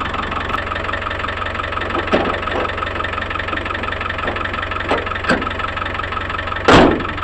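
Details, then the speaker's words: Land Rover Discovery 1 diesel, neglected and started after standing: steady, even diesel clatter at idle with no misses or hunting, a few handling knocks; healthy idle. "okay motors running clutch down into first gear"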